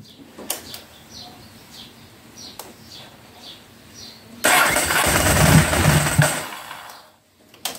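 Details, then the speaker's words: Ducati 749S that won't start, suspected flooded with wet plugs: after new spark plugs, cranked with fuel pump unplugged; quiet cranking, then a rough burst of firing for about three seconds that dies away. "I haven't plugged the fuel pump back in because I'm thinking it may be still flooded a little bit so we'll just try it first"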